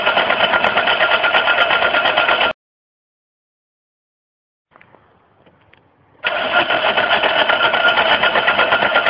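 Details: Worn Mercedes cranks fast and evenly, pauses, then cranks again but never catches; cranks but won't start, cause unknown.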